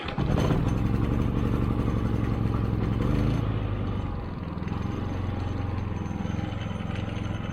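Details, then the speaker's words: Harbor Freight Predator generator test-run outside right after an oil change with ZDDP oil and a magnetic drain plug: the small single-cylinder engine catches and settles into a steady, even low putter, no knocking or hunting. Normal running. "looks good and sounds good. So we'll let that run for a couple of minutes."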